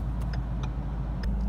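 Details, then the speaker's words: Ford Mustang with a speed sensor check engine light and revs rising between upshifts, idling at a stop light on the way to the dealership; quiet steady idle without misses or knocks, faint background clicks; normal idle. "It's idling fine. I'm just sitting at the light here."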